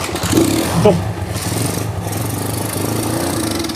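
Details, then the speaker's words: Honda Megapro motorcycle that was totally dead with no spark: the engine catches after quick blips and settles into a steady, even idle while running a new test CDI. A broken wire or the original CDI is suspected. "sudah ya kita bisa sekarang kita sudah bisa e bunyi ini dari dari yang punya kita apa masih pakai CDI yang baru kita coba"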